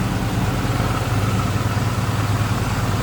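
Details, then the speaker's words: 1987 Oldsmobile Cutlass Supreme, 5.0 L 307 V8, automatic; fires right up into a smooth even idle with a deep steady burble and no misses, ticks or knocks. "run does fire right up sounds good smooth running V8 underneath the hood"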